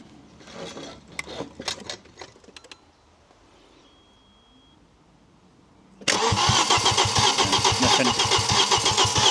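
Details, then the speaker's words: Audi RS2 5-cylinder barn find, abandoned in an orchard for years: starter cranks at a steady even chug of about four beats a second but the engine never fires; spark check on one plug now shows no spark, possibly from a bare, damaged ignition wire. "All right, stop. So now no spark. Now no spark. We did have spark. Now no spark."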